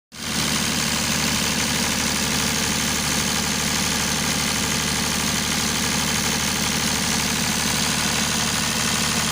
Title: স্মুথ রানিং ডিজেল জেনারেটর | Engine Sound. Test#GeneratorRunning #DieselGenerator #PowerBackup